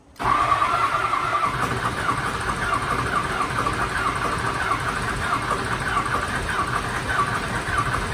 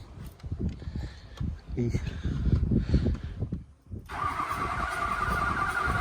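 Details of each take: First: Diesel mud truck not started since February, after a fire, cranked: steady churning crank over several seconds with an even cadence and no clear catch yet; extended cranking before it starts. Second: Mud truck diesel after fire damage, unmoved since February, with replaced 90-degree EGR-area hose and new glow plug control module: clatters a few seconds then steady even running, no knocks or misses; normal running.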